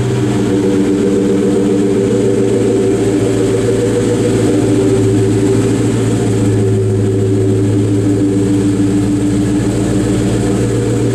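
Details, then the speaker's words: Low-mileage 2003 Terminator Cobra supercharged V8 with new X-pipe and Flowmaster catback: deep steady burbling idle with even exhaust pulses, no misses or knocks, running well. "You'll see it definitely got the Mustang Flowmaster sound now, since we have the X pipe on here. It already had the Flowmaster catback."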